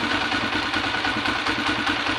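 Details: Light even ticking over idle from the top end of an engine with newly replaced timing gear, cam follower and pushrods; rocker arm not yet replaced, found with large play; valve clearance keeps loosening, ticking returns soon after adjustment.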